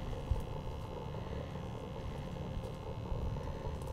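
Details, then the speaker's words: 90% Carrier furnace after its clogged condensate trap was cleared: steady, even low rumble with a soft burner roar, pressure switch silent with no clicking, hot surface igniter lit; normal operation, with combustion efficiency later measured at 93.2%. "active pressure switch silent no clicking there's your hot surface beautiful"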